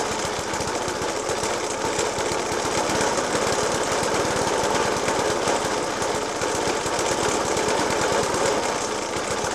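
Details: Suffolk Punch 30S lawnmower (1991 era) with Dellorto FCH 20 carb: irregular heavy banging about three a second, rough unsettled idle persisting after spark plug change, decoke and carb clean; cause unknown.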